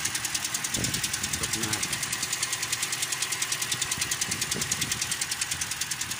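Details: 2013 Toyota Corolla, 3GR 2.0 engine, at idle: a sharp, even tick about 200 times a minute rides over the idle, a light top-end tap. Owner says it fades when warm; connecting rod first suspected, but a failed camshaft rocker arm was found.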